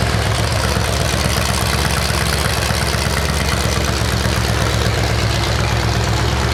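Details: 427 big-block Chevy on an engine run stand at first fire after a long time unrun, distributor timing adjusted: loud, rough open-header rumble at a steady idle, no knocks or ticks; normal idle.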